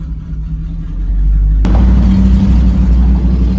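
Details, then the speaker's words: Ford Mustang 3V with catless X-pipe that has an exhaust leak, driving: loud lumpy exhaust rumble, rough and held down, won't rev past 2,000 rpm; owner suspects the throttle body needs readjusting. "so I don't know if I have to adjust this throttle body again cuz it won't let me go over 2,000 sometimes it is extra loud though"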